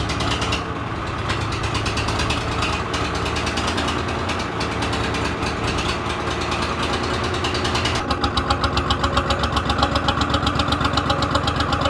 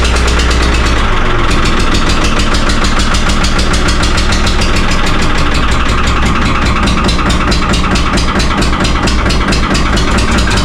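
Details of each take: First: 3-cylinder Lister diesel in a harbor boat that lay flooded about 3 years: steady, even idle with a regular beat of about four per second and no knocks or misses. It picks up when the gearbox is engaged; running healthy. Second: 3-cylinder Lister diesel in a former Rotterdam harbour boat, cold start right after 8 litres of water were pumped from the flooded engine: loud, uneven clatter, revs surging and sagging, needs much throttle; owner suspects air in the system.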